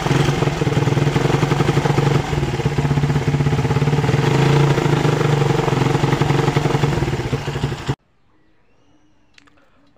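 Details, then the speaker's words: Suzuki Satria FU 150cc motorcycle revved about eight seconds: uneven stuttering beat instead of smooth pickup, carburetor fine; misfire under throttle from still-loose ignition coil cable socket, then tightened. "kita cek Tadi masih brebet ya teman-teman ternyata untuk soket ini masih kurang rapat ya kita Kencangkan kembali ya teman-teman ini agak longgar ya masih kurang rapat ya teman-teman"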